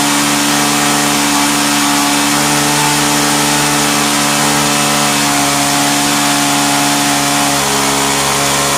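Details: Vintage Hot Wheels R1NX gas go-kart, sat about 10 years, carb partly cleaned, running with the cover off: a small single buzzing at high speed, uneven and hunting. Owner suspects wrong mixture without the cover's restriction.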